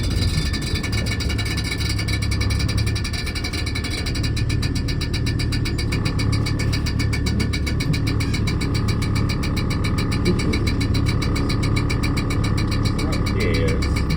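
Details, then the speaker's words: Morris Minor driving around town: a low engine drone under a fast, even, buzzy chatter that stops under acceleration. The owner first thought the exhaust was rattling against the pan. The cause is unconfirmed. "stops when you're accelerating so that horrific sound you just heard whilst driving around town everyone looking not a good look mate not a good look"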